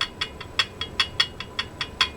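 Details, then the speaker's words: Husqvarna Viking Type 21 sewing machine stitching: sharp light ticks about five a second in time with the needle, from the extension bed rocking on an uneven workbench, not the machine itself. "That's because I've got my extension bed on, and I've got this a little bit uneven on my workbench. So that is not the machine."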